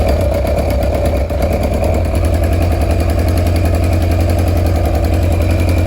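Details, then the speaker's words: Kawasaki KZ1000 police bike, four-cylinder, first start in many years after engine swap, on choke: loud lumpy run with a light, fast ticking over the exhaust beat; owner first suspected an exhaust leak, then found the source in small parts, unclear. "yeah you heard it run see it's not too bad just went through all that gas I found the noise I thought I had an exhaust leak but it's these little doodabs huh cool"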